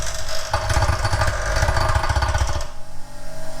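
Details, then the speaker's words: Cheap bench grinder bolted to a solid concrete post: fast, uneven chattering hammering for about two seconds as a club hammer is held to the wheel, then a smooth hum; the wheel bounces and needs dressing. "yeah, it definitely needs dressing. You can hear it bouncing off."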